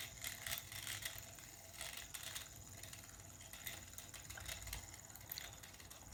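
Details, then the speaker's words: Poundland glow-in-the-dark Magni Rings pulse motor on a 3D-printed hub with a needle pivot: light, fast metallic rattling over a soft spinning whir, pulsing with each turn, because the rotor is out of balance. "I might turn the sound up so you can hear it rattling because it's out of balance which is why it's rattling"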